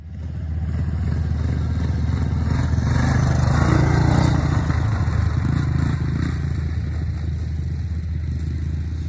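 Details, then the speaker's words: Old 1980s Yamaha YTM200 three-wheeler single-cylinder on the factory carb thumps unevenly, surging then sagging. It idles high, then shuts off when it tries to idle, and won't hold idle; owner suspects an air leak. "it is not idling again you gotta kind of help it i don't know what else to do with this factory carb sounds like it might be an air leak because it like idles high then when it wants to idle it just shuts off"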